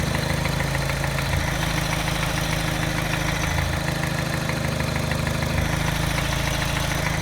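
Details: Mini petrol engine at idle, after timing chain, tensioner and piston rings were replaced: faint light tap about three a second with a slight stumble, a very slight miss not detected by scanner; tap disappears above 1200 rpm.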